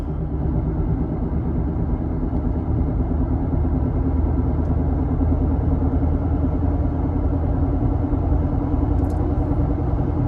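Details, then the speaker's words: Car driven about 2,000 miles with a bad wheel bearing, test drive at roughly 30–40 mph: steady, deep droning rumble under road noise at constant speed from the failing wheel bearing. "about to show you guys how bad wheel bearing sounds like I'm going to go four different speeds I'm going to go 0 to 20 20 to 40 40 to 60 and then decelerate on top of that as well too"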